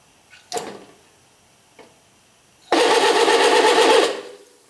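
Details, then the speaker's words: RV on-demand water pump with the faucet barely open, like a leaky faucet: short clicks, then a hard buzzing rattle as pressure drops and the pump kicks in, chattering on and off with heavy vibration from low-flow cycling. "as you can see there's tons of vibration now that's due to the fact that this valve this faucet has a plunger that closes the channel here and and so when a little bit of water starts to flow then the pressure drops the pump kicks in that increases the pressure"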